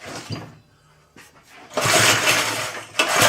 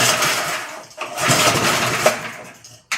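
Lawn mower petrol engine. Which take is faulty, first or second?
second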